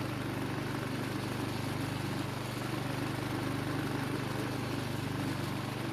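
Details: Husqvarna walk-behind string trimmer two-stroke engine, after a carburettor fix for a no-start: steady small-engine drone, speed constant without surging or stalling; now starts and runs properly.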